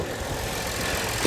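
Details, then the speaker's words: Lexus that previously wouldn't start and had many electrical faults, now repaired, running with the hood open: smooth, even idle with a steady hum and no knocks, misses or surging. "man this thing runs good"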